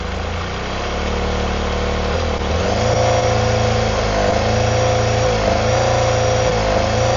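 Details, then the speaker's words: Honda CBR250RR MC22 four-cylinder carbureted, quiet exhaust fitted, starting fluid added per cylinder at idle: uneven idle lifts on cylinder one, meaning it runs lean (possible blocked pilot or sync); cylinders two and three die, four unchanged, second separate problem. "So that picked up a little bit. Cylinder two died. Same cylinder three. No change on cylinder 4 again."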